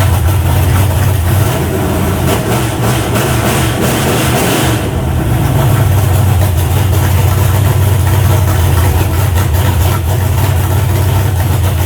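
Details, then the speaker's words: Freshly built 388 small-block Chevy on a run stand, first fire-up: deep steady rumble with even firing, no knocks or misses, good oil pressure, run to about 160 degrees; normal idle. "they're good right there that's my house sucker sounds good"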